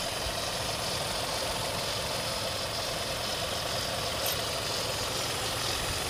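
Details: Hyundai i20 N Line small petrol engine idling steadily with a busy, faintly knocking clatter over a hissy upper range; strange noise, cause unidentified.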